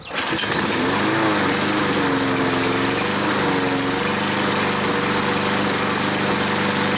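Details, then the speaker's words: Kohler XT6.75 (XG 675) 149cc 6.75 hp engine on a self-propelled Yard Works mower runs slightly rough with a wavering, uneven note; it shuts off after 20–25 minutes of running; clogged carburetor main jet. "because when it was running it was running a little rough so I'll fire this thing up just so you guys can hear it"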